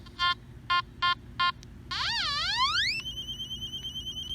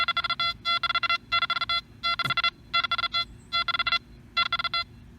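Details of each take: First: Nokta Makro Anfibio metal detector: four short beeps then warbling tone sweeping up into a steady pulsing tone; overload signal over a large chunk of metal. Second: Nokta Makro Anfibio metal detector swept over three coins about 2–2.5 inches apart: clean repeated tone bursts splitting into separate distinct beeps; fast recovery separates close targets.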